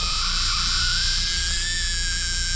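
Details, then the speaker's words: $400 Dodge Charger 2.2 during horn and wiring checks: thin, steady high squeal that wavers and climbs slightly once powered; electrical squeal, source not found, no smoke seen. "Sounds like a dying rat over there."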